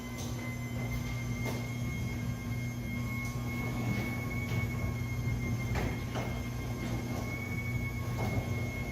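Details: After spraying garage door lubricant on all joints: door runs with steady motor hum and light clicks, squeak eliminated.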